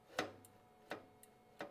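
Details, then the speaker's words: Creality Sermoon D1 3D printer X-axis homing after endstop pin bent out so carriage reaches it: crisp single clicks about every 0.7 seconds, endstop switch now triggering each time. "i'm going to opt for time reasons to just bend out my pen a little and see if that fixes the problem not yet now it's hitting it i hear it clicking every time"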